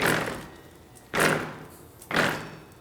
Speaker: there's some vibrations it sounds like it's clunking there's just doesn't sound good it doesn't sound right so now we know the problem is in this region